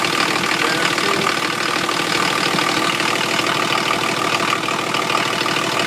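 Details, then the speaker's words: 1980 International Scout II with factory Nissan SD33T turbo diesel (Garrett T3), freshly rebuilt, first run in truck, cold idle settling down: harsh busy clatter, louder than expected; owner wonders if the cam causes it. "so uh that's what it sounds like it's pretty loud compared to some of the others that I've Just Seen on on YouTube um not sure if that's because of the cam or or what the deal is"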